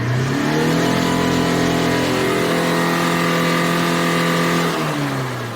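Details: 2010 Tata Manza diesel with low pickup, black smoke and code P0238, after carbon was cleaned out: held full-throttle rev climbs and drops cleanly with a steady note, no misfire, knock or smoke; healthy.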